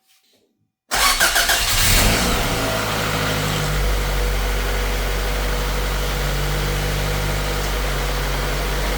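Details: Honda Civic jump-started with an AUTOONE 6000A jump starter: a brief crank, then it catches at once and flares up before dropping into a steady, even idle. Normal start.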